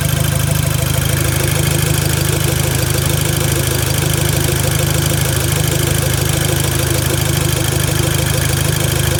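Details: VW Golf MK5 GTI at idle: deep steady idle with faint rhythmic knock about three a second; owner asks if it is normal, cause unknown.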